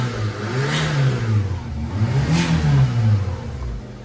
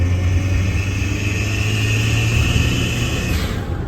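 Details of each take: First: Daihatsu Mira small petrol engine revved twice after tightening a loose exhaust bolt: smooth, low, no squeal or diesel-like exhaust-leak puffing; earlier squeal and leak noise gone. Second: Daihatsu Mira while driving: thin steady high squeal over a deep rumbling drone from a leaking exhaust manifold; the cause was a part found loose by hand, a free fix.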